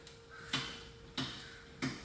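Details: 2006 Toyota Highlander, about 226,000 miles, with new strut, CV axle and sway bar, front clunks over bumps or turning: three sharp metallic knocks as the front is rocked.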